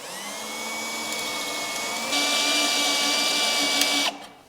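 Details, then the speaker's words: Drilling out spot welds on a totaled Mitsubishi 3000GT Spyder body panel: high drill whine steps up sharply as the bit breaks through and the welded metal pops and separates; spot weld separation during drill-out. "You hear how the metal pops? It goes beep. Yeah, separation. Yeah, you can almost hear when it separates from the other piece of metal."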